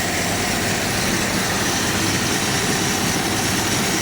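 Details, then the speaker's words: Carbureted AMC Jeep engine, all emission devices connected, just started after pumping, choke opening a little soon: smooth even idle on full idle circuit with gravelly whir from the spinning air pump; noisy but idling properly. "So we're on full idle circuit, guys. Choke's open a little soon, but we're on full idle circuit. This thing is noisy."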